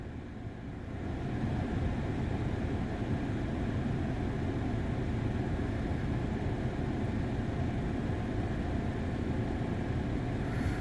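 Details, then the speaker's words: Audi A4 B6/B7 after a misfire repair (codes P0300–P0304, cylinder 3 worst under load) with new Bosch coils and NGK plugs: smooth, steady idle with no stumbles, fuel trims good. Repaired; the rear coolant flange may be leaking again. "so I don't see any issues here so it looks like the vehicle's repaired"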